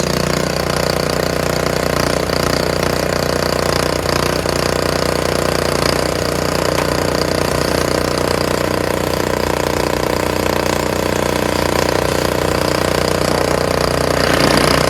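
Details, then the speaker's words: Free curbside Honda HS520 snowblower, after an hour of ultrasonic cleaning of the varnished carburetor (main jet had come out): starts on the first pull and runs steady, even and strong with no misses or surging, though fuel leaks from the bowl. "Anyway, I'm gonna give it a couple pulls and see what happens, huh? Wow! That sounds great!"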